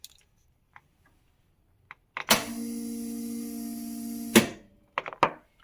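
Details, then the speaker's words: Porsche 944 starter gives a two-second steady whir, spinning free without catching the flywheel. A bad Bendix gear that is not extending is suspected. The planned fix is to remove the starter and grease the gear so it extends. "Hear that? That is a starting motor with a bad bendix gear. The gear is not extending and engaging the flywheel."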